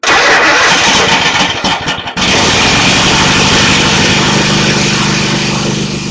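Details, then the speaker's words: Craftsman GT5000 Kohler Command Pro after freeing a sticking intake valve with lube, bent pushrod, valve cover refitted, battery charged: brief crank, catches cleanly, settles into steady even idle with no knocks or misses; runs good, normal start and idle. "Okay, looks like it runs good. Looks like our work came out good."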